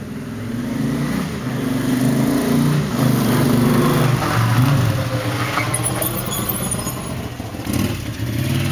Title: Honda CX500 1981 model, motor running rough